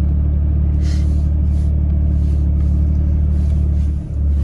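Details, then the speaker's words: Nissan Xterra with P0507 idle code, cold start after throttle body cleaning: steady low idle rumble, no hunting or surging. "So I popped the hood, sprayed some brake cleaner on the throttle body and where I've been working out with the other hose clamps, and the idle didn't change. Everything seems good."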